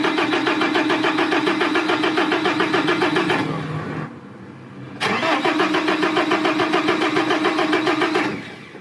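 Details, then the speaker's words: Iveco Daily van cranks steadily at about three and a half turns a second but never catches, pauses, then cranks again; long-standing crank-no-start that several workshops could not solve, caused by a faulty ignition/start switch. "là tu vois, ça ne peut pas commencer comme ça, et le propriétaire a dit que c'était comme ça depuis longtemps"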